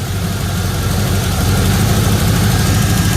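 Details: Third-gen Camaro small-block Chevy V8 idling after timing set to about eight degrees and advance reconnected: smooth, even rumble with constant beat, no misses, rattles or ticks; normal idle after timing fix.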